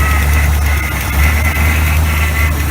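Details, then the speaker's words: Small block 400 V8 truck that kept eating starters, after starter shimmed with eight half shims and refueled (no-start was out of fuel); deep even rumble, steady speed, no misses or knocks; running smoothly. "but we've got it up and running everything is good again"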